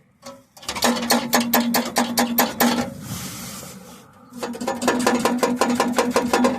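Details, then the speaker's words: Car rattle traced to a loose underbody part near the gas tank at the rear, clanking about five times a second against the exhaust pipe. The sound travels through the car and seems to come from the front. "it hit the exhaust pipe so it travel through the car sound like it's up in the front but it's really up in the back"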